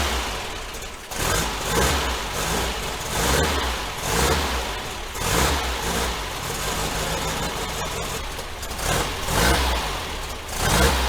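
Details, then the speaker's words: 1966 VW Type 3 Fastback, mileage unknown, new starter: cranks in uneven, stuttering surges hitting random dead spots before the engine catches; owner suspects flywheel teeth chewed up in more spots. "The starter, the new starter, still sounds kind of crazy, so I'm guessing maybe the flywheel has gotten chewed up a little bit more in more spots, and that's why it's sounding a little rough."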